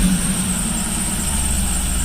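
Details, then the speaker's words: Supercharged Cadillac CTS-V after the grounded cylinder 7 plug wire was fixed: even low idle rumble with no misfire stumble, runs smoothly. The belt squeal has returned and the tensioner is suspected. "other than the belt squeal that's back again well she seems to be running okay"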